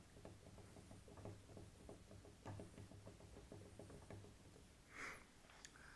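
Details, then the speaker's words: NTM Prop Drive 28-30S 900kV brushless motor spun by hand, camera close: rough, regular clicking about seven ticks a second with visible wobble from faulty, substandard bearings. "I'll bring the camera closer so you can hear the clicking when it's when it's spinning you can also see the wobble in the motor"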